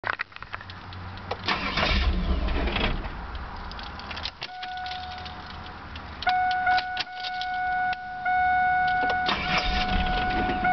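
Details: 3.8 engine: starter cranks in repeated bursts with steady turning but never catches or fires; crank no start, cause unknown.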